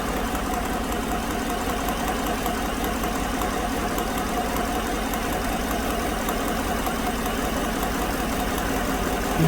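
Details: 2016 GM truck 5.3 V8 with new genuine GM lifters on bank 2 and AFM deleted by tune: even idle with a light tick and a steady dead-cylinder miss. The number 6 exhaust lifter, a defective new part, is stuck again, giving a number 6 misfire.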